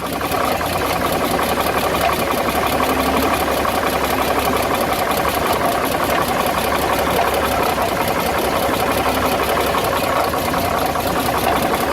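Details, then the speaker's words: Dodge WC52 petrol engine at idle: a fast, even clacking and rubbing clatter rides over the run. "on l'entend comme un bruit de claquement, de frottement."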